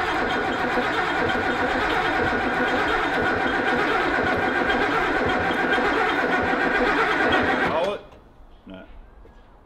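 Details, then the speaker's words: Ford XY GT Falcon with 351 V8 on first start-up after build, fuel system primed by pressurizing the tank: steady even cranking about four turns a second for eight seconds, never catching, no spark; cranks but no start because ignition timing is out of phase. "all right so we've come up with a little bit of an issue we've tried to fire this thing over and over and over again"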